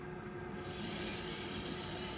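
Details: 1976 Bachmann Norfolk & Western U36B locomotive with pancake motor, on track after teardown, clean and relube; continuous dry rasping crunch over the small motor's whir, steady throughout; drive gears grinding.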